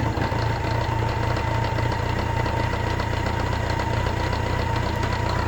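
Engine idles with a quick, uneven knock over a faint steady whine; the cause can't be pinned down by ear alone. Cause suspected, not confirmed.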